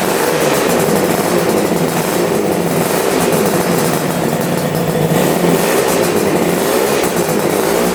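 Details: Twin-carburettor engine restarted after a cold start, where the right carb had seemed to use no fuel: loud, even, steady note with no stumble or misses, now running cleanly on both carbs; normal idle.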